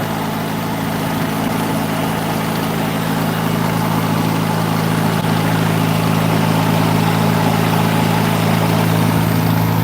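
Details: 1940s wood splitter with International Cub engine, started after about 40 minutes, main jet adjusted; steady low drone with even firing beat about four a second, idling smoothly without stumbling.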